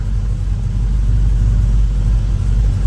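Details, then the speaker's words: V8 engine after reconnecting the battery, following a fuel-line flush (it had been running rich and spitting raw fuel from the tailpipe): deep, even idle rumble with no misses, ticks or stumbles. Best it has sounded yet; normal idle, codes not yet scanned. "Wow. That is the best it has sounded yet. Have a winner. It's idling"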